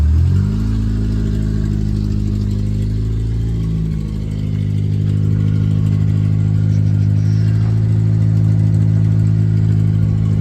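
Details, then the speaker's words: 1991 Ford Ranger 2.3 four-cylinder after fuel injector and fuel pressure regulator replacement, spark plugs suspected fouled and not yet changed: engine catches quickly, then runs smooth and even with a steady low drone and light rev; normal running. "But yeah, way better. Truck runs good."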